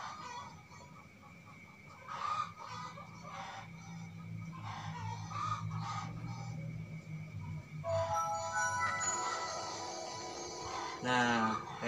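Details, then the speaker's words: Laptop booting: startup chime plays with sharp crackling bursts breaking into the tone at several points, rooster faintly in background; laptop speakers crackling. "Oke kita coba putar sekali lagi jadi pada saat booting dia itu ada suara kresek ya soalnya gitu"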